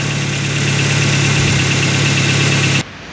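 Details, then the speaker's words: Chevrolet Spark after head gasket replacement and timing job, coolant not yet added: steady even idle hum with no knocks or misses, then cuts off cleanly; healthy. "दोस्तों, यह car एक ही बार में start हो जाती है। दोस्तों, थोड़ा धुआं है।"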